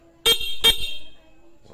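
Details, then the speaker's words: Yamaha Fazzio scooter horn: two short bright toots, clear steady pitch with no rasp or weakness; horn works normally and sounds cute. "And then yung horn niya, no, sobrang cute yung tunog."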